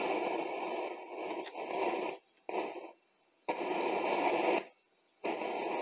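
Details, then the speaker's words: 1958 Grundig Fleetwood radio, capacitors and bulbs replaced: hiss and static cut in and out abruptly, dropping to near silence several times; intermittent reception, cause unclear. "hmm seems to be a connection problem hmm"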